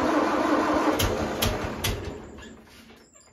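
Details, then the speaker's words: 1974 International 354 gas tractor with no-crank, clicking issue: starter jumped directly at terminal gives steady rhythmic cranking, a few even turns a second; starter fine, fault is no power from starter switch. "And all I'm doing is I'm just touching that terminal there. It's cranking over. That means it's not the starter."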